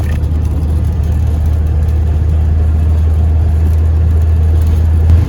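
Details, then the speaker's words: VW T3 van starting first time right after a new starter motor was fitted; steady low even hum, no stumbling or grinding, engine running smoothly. "Let's see if it starts. First time, baby. Let's go."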